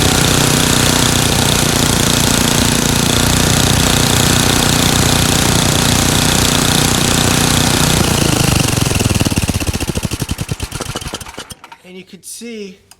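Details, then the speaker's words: Craftsman 9 hp Tecumseh snowblower engine after repair: surging cured by adjusting governor speed-control spring tension and setting the RPM screw to not much above 3600 rpm; even, steady note with no hunting, then winds down at shutoff. "so now I've gotten rid of the surgeon just by adjusting the tension on the spring here"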